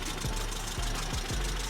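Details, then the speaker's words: Fiat Punto at idle: dull thumps about every half second over a clattery, loud engine note; dipstick showed no oil at all, about two litres then topped up. "you heard the engine was a bit loud uh just checked the oil and there was absolutely nothing on the dipstick"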